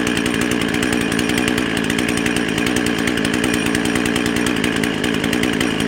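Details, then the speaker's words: Husqvarna 55 chainsaw with an 18-inch bar, half choke, no load: screams at a high, slightly wavering pitch around 13,500 rpm, revving too fast; lean running from an air leak at the carburetor gasket. "hey oh sounds like she's running a little bit fast let's get attack on there ah [Music] [Applause] hmm so okay so the rpms are definitely too high"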